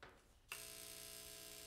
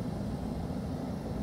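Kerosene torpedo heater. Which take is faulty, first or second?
first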